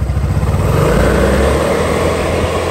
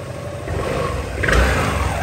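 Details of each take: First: Honda SH300i 2020 scooter after a full CVT clutch rebuild, with new clutch shoes, air filter, driveshaft, fan and radiator work; revs rise and fall smoothly with no whine or chatter, and the clutch is now quiet and healthy. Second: Honda SH300i 2020 scooter, original clutch before repair: the engine note rises unevenly with a shaky, stuttering pull and revs hang low as the throttle opens. Stuck, worn clutch judders on takeoff, alongside a howling drive shaft.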